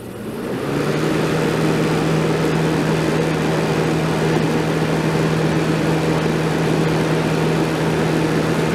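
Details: 1989 Crest (Fedders) 5000 BTU Carry Cool air conditioner, cleaned and fan motor oiled, on high fan at about 165 W: an even, steady rush of air over a constant low motor hum with no rattles, healthy.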